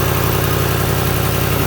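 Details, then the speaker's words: 2007 Lincoln Town Car V8, rebuilt after a wreck, started and idling: a rapid, even puffing pulse in the low rumble from an exhaust leak on one side. "The exhaust leak is coming from this, no man, not this side. This side over here."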